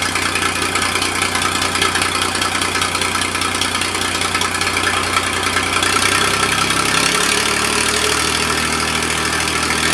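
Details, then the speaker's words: Massey Ferguson 2244 with a fresh Perkins three-cylinder diesel, first start in five years from cold, bump-started via the starter. Steady, even clatter at idle with no misses or knocks, settling after a few seconds. Normal idle; the tractor's hydraulic clutches are failing separately. "well the old fella still doesn't sound too awful bad like i said the engine is fresh i did not get to use it hardly at all"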